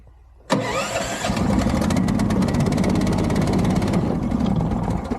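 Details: Being started in cold, deep snow: starter catches and the engine fires but runs uneven and rough, struggling to keep going; hard starting, cause not clear.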